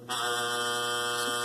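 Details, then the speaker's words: Heat pump outdoor unit, top propped open: steady raspy electric buzz from the reversing (switching) valve solenoid vibrating constantly, 24 hours a day, though the system functioned normally. "so that's the constant vibration that i had non-stop 24 hours a day every time you walked by this unit sort of annoying but i knew there was nothing wrong with it"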